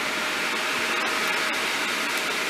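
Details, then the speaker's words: GTX 1660 Super mining rig (Asus H570-Plus, Corsair 850W+650W PSUs), secondary PSU on before motherboard: steady loud airy rush from many hub fans with faint constant tone; fans at full speed with no motherboard fan control. "This will make a bit of noise because without the motherboard being on, there's nothing controlling the fan speed, of course."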